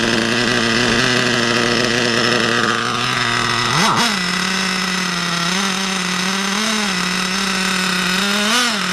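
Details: RC nitro engine, unused about a month, after new glow plug, new fuel and adjusted high, low and idle needles: high buzzy engine blips once then holds fairly steady rev with slight wander; running normally.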